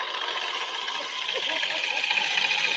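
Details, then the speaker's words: Scooter CVT with cover off at idle after a roadside CVT repair; harsh crunchy ice-crusher chatter. Owner suspects the outer drive face loosened, or possibly the clutch; cause unconfirmed. "Let's start it up and we're gonna hear the chatter. It ain't happy."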